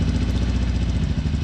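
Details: 2007 Harley-Davidson Sportster 1200 fuel-injected, lumpy uneven idle with a missing beat each cycle, checked by stethoscope on each injector: only the rear cylinder firing; front injector not working, dead front cylinder.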